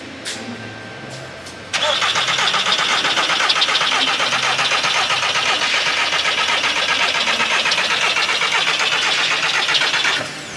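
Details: 2003 VW Bora barn find with about 2000 miles, on jump pack after freeing starter: steady cranking about four pulses a second for eight seconds, never fires; fuel pump operation unknown, cause not confirmed.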